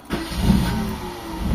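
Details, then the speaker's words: Mitsubishi Lancer 4G13 carbureted engine, hard starting with the fuel filter emptying; restarted warm, it catches on the first turn into a smooth idle. Normal one-click start. "yon mga bossing. One click start na. Umandar na mga boss."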